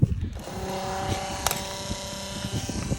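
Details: New Flo-Jet RV macerator pump, hose connected directly after a leaking clear 45° fitting was removed, emptying a full soapy tank: steady mid-pitch motor whine over a churning low gurgle. Normal pumping, about 50 gallons in eight minutes.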